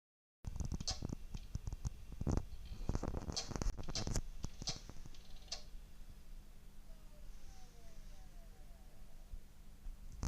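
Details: WD MyBook 250 external hard drive makes bursts of sharp, irregular clicks over a low, steady motor hum whenever it enters the spin-up phase.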